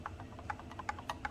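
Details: Radiomaster Boxer radio transmitter stock gimbal: light, crisp clicks as the stick moves and springs back against strong spring tension, with no squeaking, unlike the squeaky T20S gimbal.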